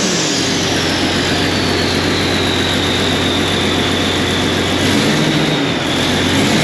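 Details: Tractor 8320 diesel with a freshly rebuilt engine, running after adjustments and the fuel primed: a steady, even drone at constant speed with no knocks or misses and a slight pitch lift near the end; running healthy.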